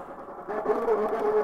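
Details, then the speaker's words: MokWheel Mesa ST Plus e-bike on a ride under pedal assist: a steady mid-pitched whine rises from the motor once assist kicks in, noisier than expected, while freewheeling is quiet. "and it's kind of noisy I don't know do you hear that that's a little strange"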